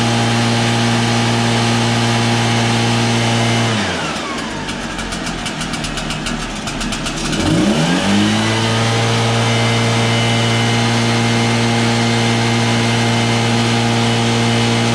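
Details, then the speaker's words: Backpack blower that had no power, after cleaning carbon out: steady idle, crisp rev up and clean drop back to idle with no stumble or bog; runs strong. "as you can hear it runs pretty strong now after cleaning out the carbon"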